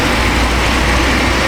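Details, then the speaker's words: 1996 Chevy Astro V6 after replacing the leaking spider injector that caused misfire and rich running, warm in closed loop, still slightly rich burning old gas: steady, even low rumble with no stumble; smooth idle, fix confirmed. "Alright, we're in closed loop. She's probably going to be a little on the fat side for a minute. Get the old gas cleaned out of her. Not too bad, I was expecting a lot worse."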